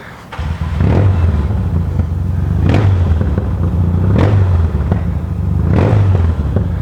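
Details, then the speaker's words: 1977 Yamaha XS650D riding around town: twin burbling with a dull pop roughly every second and a half on the overrun; owner plans to check air cleaners and repack mufflers. "hear the popping. [Music] I hate that. I got to do something about that."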